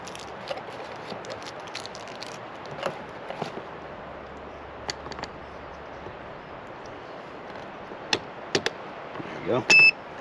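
A single short, high electronic beep near the end over faint room noise: the keypad lock's normal confirmation tone.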